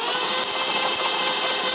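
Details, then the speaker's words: 1980s BMW 6-Series E24 CSi manual coupe, parked since 2001, cranked with the spark plugs out; sharp snapping cracks at a steady rhythm as the engine spins; strong ignition spark. "okay you've got a serious spark I can hear it"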